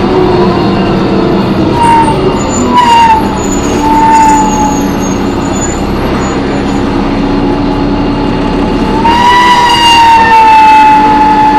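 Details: On-board MTA New Flyer D40LF bus #4088 while driving: loud wavering high-pitched screech rising and falling over engine drone, from the brakes or transmission, source unclear.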